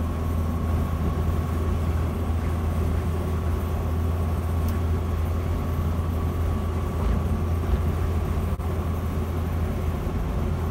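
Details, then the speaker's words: 1976 Land Rover Series 3 109-inch, 2.25 petrol engine, driving after new exhaust fitted to replace holed system blowing at the manifold: smooth even engine purr instead of exhaust roar, no blowing or ticking; vast improvement. "But I can hear more of an engine purr rather than an exhaust roar. So, yep, all good. Vast improvement."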